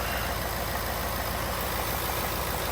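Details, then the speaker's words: 2018-2020 Ford F-150 5.0L Coyote V8 after spark plug replacement: even, steady idle with a smooth, regular low pulse and no misses or stumbles; engine running clean. "should be nice and smooth everything seems good to go"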